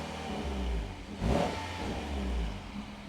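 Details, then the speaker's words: Peugeot 308 GTi after decat downpipe install, free rev up front: quick blip rising and settling to smooth idle, no rattles or pops; sounds little different from before, healthy. "It's not that much different, is it? Sounds the same."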